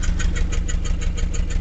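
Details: 1989 Mazda B2200 carbureted four-cylinder 5-speed manual that smokes heavily, still a bit cold: a rough idle with loud, sharp tractor-like puffing about six times a second from a hole in the exhaust pipe.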